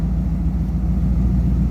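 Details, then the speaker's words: Ferrari 250 GT California Spyder replica built by Modena Classic Design in 2004, idling: low, steady rumble with an even, unbroken beat and no misses or knocks; engine idling smooth and healthy. "I hope you can hear the motor idle's very even, very I'm not sure what the American word would be, but I think even would be the word. Smooth."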